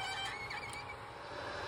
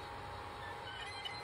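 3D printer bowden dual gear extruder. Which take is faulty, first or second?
second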